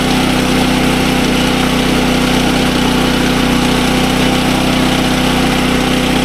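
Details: SDMO 5000W generator, Briggs & Stratton engine (about 18 hp), after repair, now putting out good voltage (about 140 V, slightly high); steady even drone, no surging, misses or knocks; normal running.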